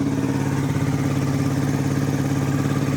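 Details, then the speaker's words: 1985 Suzuki DR250 single still warming up, fuel filter removed for a straight fuel line: steady quick idle about three even beats a second, idle slightly low, quiet with no cam chain noise or chatter; normal idle. "Engine is really quiet. I don't hear the cam chain at all."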